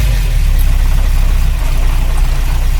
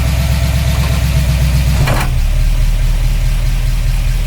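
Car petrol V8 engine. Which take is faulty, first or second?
first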